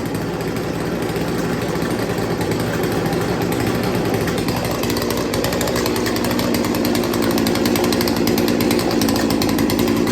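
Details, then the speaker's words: Chainsaw after sharpening and carburetor idle tuning, idle screw turned almost a full turn: steady even rattling burble for ten seconds without stalling or hunting; idle problem fixed. "fix the idle problem although i had to crank it almost felt like almost a full turn"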